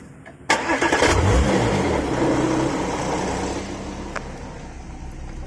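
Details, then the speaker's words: Porsche Macan at start-up with a brief metallic rattle from the engine area that fades as idle settles: loose front engine exhaust bracket. "that's the engine exhaust bracket"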